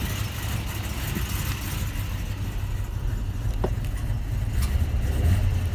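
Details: 2004 Toyota Tundra idling after fan bearing replacement and timing belt change: deep, steady low rumble with no knock, tick or rattle; sounds better than before, when it was louder.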